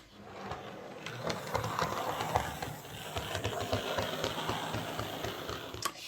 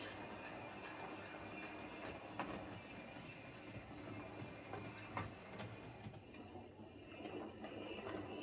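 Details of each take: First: Hornby 08 Shunter model locomotive after reassembly: small motor whirring with a clicking, horrible thumping beat about three or four a second as it runs on the layout; coupling rods catching on the brakes, and a big piece of fluff was found in the worm gear. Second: Hornby 08 shunter model locomotive on the layout after repair (connecting rods bent slightly to clear the brakes): gentle motor whirr and wheel rumble, only odd rail-joint taps, no regular click; clicking fixed, runs fine.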